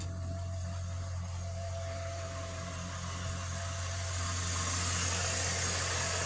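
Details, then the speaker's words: 21-year-old 2002 Chevrolet Silverado idling on the ground after power steering bleeding (had whined loudly when turning): faint constant high whine over engine hum; slightly better but some pump whine remains. "Still got a little bit of whine, but I think that's to be expected in an older truck. It's not exactly brand new, is it?"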